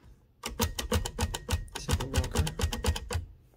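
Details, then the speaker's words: Torpedo 18B typewriter carriage return: sharp clacks about four a second with loose metallic chatter from the escapement pawl rattling, likely due to a missing spring around the pawl shaft. "so does your torpedo's carriage return sound like this displeasing and rattly tune in to find out how to fix it so here i'll show you the problem basically this is the escapement"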